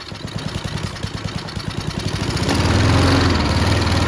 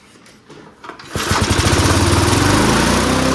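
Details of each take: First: Junkyard Bob-Cat push mower, about 30–40 psi compression, started on brake cleaner through the spark plug hole: rapid chuffing that surges and sags with puffing at the intake; intake valve suspected unhappy, blowing a lot back. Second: Junkyard Bob-cat push mower engine after reassembling fan shroud, primed, at full throttle: catches after a few pulls and settles into a steady, even drone with no misses or knocks; healthy.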